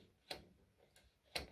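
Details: AEG ceramic hob energy regulator being adjusted by turning its screw left and right after cooling down: two crisp clicks about a second apart with fainter ticks between as the contact snaps on and off.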